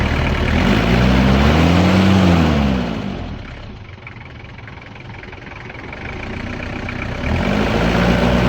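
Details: Toyota Hilux diesel (2L/3L/5L family) that had been missing, run after its injector nozzles were repaired: blips up, drops to a quiet even idle, then rises again; steady running with no obvious knock or misfire.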